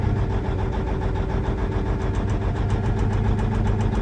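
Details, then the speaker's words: Versatile 2360 tractor, Cummins N14, scanner cylinder cutout test hunting a failing injector: idle turns lumpy and uneven with one cylinder cut out, so that cylinder is healthy. "Okay, so we're going to do a cylinder cutout test and see if we can figure out what injector is failing on this thing."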